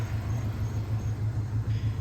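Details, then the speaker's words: 1994 Ford Ranger XLT after spark plug replacement for suspected detonation: low even idle rumble with steady firing pulses, a little slow near 600 rpm, no misses; everything sounds good; owner may check fuel injector if knock returns. "But we got right back to it. And everything sounds good."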